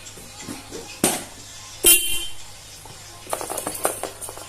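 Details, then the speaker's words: Small-cc Honda automatic scooter with a 3.5 A 12 V battery, fitted with a car horn wired through a relay and fuse: two short, loud horn blasts with a strong steady tone; the horn now works strongly. "Wih, mantap cuy, kuat suaranya ya."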